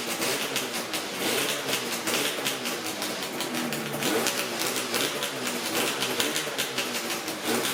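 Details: Yamaha RZ350 two-stroke motorcycle after lubricating the tachometer and speedometer mechanisms: idling with busy rapid rattle and crackle, the previous gauge squeal gone.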